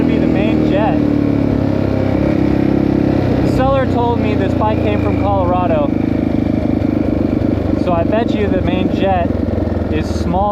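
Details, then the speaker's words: 1984 Yamaha XT600 single, carb found with wrong-sized jets, before the jet swap: runs rough with uneven pops on throttle lift-off and breaks up at the top; owner suspects lean, not enough fuel, main jet; lean misfire from undersized jets. "All right, so I suspect it's lean. Seems like it's not getting enough fuel anyway."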